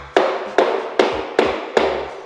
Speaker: you can hear those tiles are quite hollow sounding, quite drummy. Um, and that is a sure sign that you have a drummy tile.